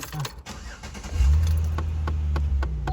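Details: Under idle, a quick run of sharp plastic clicks repeats from the dash after startup on a Chevy Impala; the noise was traced to the failing left (driver-side) HVAC blend door actuator, not the right, before replacement.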